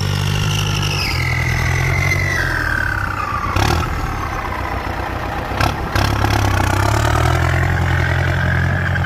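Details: Ford 5000 tractor with turbo, just arrived, new battery: steady diesel idle, then a clean turbo whistle that climbs and falls as the engine is revved; the turbo sounds healthy.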